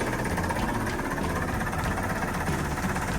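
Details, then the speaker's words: Sailboat diesel engine running on third oil flush with used diesel oil after seawater hydrolock: steady low chugging idle at even speed, no hard knocking or misses, smooth diesel ticking over. "Alright, we got it running again. We're doing our third flush."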